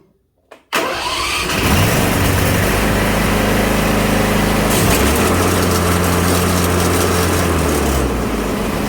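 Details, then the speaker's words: Craftsman Z530 zero-turn, blades sounding rough on engagement: engine starts, then loud rough rumble and grinding roar, deck vibrating badly and idler arm jumping; worn deck spindle bearings and idler pulleys. "The deck is vibrating pretty bad. We can see the idler arm jumping up and down a lot. That can be caused by a bad belt. It can be caused by a bad bearings in one of the idler pulleys or in one of the spindles or a bent blade."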